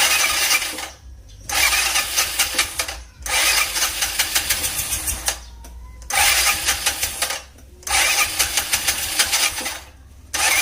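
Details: Scooter that is hard to start in the morning, checked for ignition, fuel and compression: four cranking bursts of about two seconds each with a fast, even, light chug and no catch.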